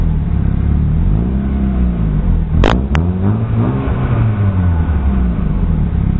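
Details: Chevrolet Aveo with a fart-can aftermarket muffler and an exhaust leak: deep droning rumble rising and falling with each rev, raspy blat from the loud muffler.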